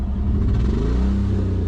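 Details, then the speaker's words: Ratback rollback truck engine revved: deep, loud rumble swelling with each blip, no clear knock or tick; unclear whether the noise is the exhaust or the engine. "don't know if it's just the exhaust or is the motor making much noise? Come rev the engine, bud."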